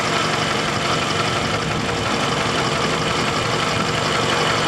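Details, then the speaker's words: Engine idling after driving with low oil (bottom of dipstick): fast, light tap-tap-tap over steady idle, light at first after sitting then getting louder; something damaged inside; engine ticking. "it's getting louder you hear that tap tap tap tap tap tap tap tap well something got damaged somewhere"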